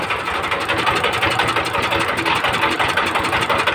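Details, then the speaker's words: 20 hp direct-injection diesel engine, air cleaner off: uneven drum-like knocking about three per second over a rattly idle; injector nozzle misfire, cured by nozzle adjustment. "দেখুন আগে যে একটা ঢোলের বাড়ি দেয়ার মত একটা শব্দ আসছিল সেই জিনিসটা আর নেই খুব সুন্দর জায়গায় চলে এসেছে"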